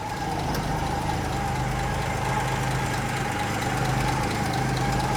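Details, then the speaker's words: 1954 Plymouth Savoy carbureted six-cylinder on dual six-volt batteries, hood open, idling with a steady low hum and soft even purr, no knocks or misses; runs smooth as a sewing machine. "a sewing machine guys smooth you can't even see the engine moving hardly except for the ignition coil wire"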